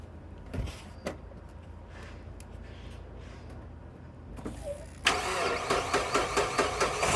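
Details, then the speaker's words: Mitsubishi Shogun (Pajero) Pinin TR4 iO, unused about three years with a slipping clutch, jump-started with a booster pack after refuelling: faint clicks and scrapes, then it catches abruptly and settles into an even, steady idle; starts and idles normally. "Okay, so that was a bit unexpected. It's running fine."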